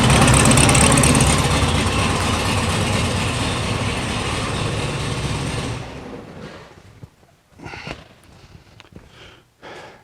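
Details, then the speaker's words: 1974 VW Super Beetle at base timing 10°: lumpy, uneven idle with twin carbs far out of sync, about 20 on the driver's side and 7.5 on the passenger's; rough idle from unsynchronized carburetors. "um pulling pulling it they're way off uh I'm almost 20 on driver's side and about 7 and a half on the passenger so she she's idling off this side basically"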